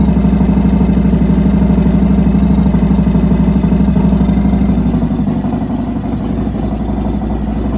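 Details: 1993 Harley-Davidson FXRS Convertible V-twin after spark plug shot out; temporary fix of stripped plug threads. Steady loping idle with even low pulses and a slight puff at the plug, a small compression leak; ridden over 30 miles home on the fix.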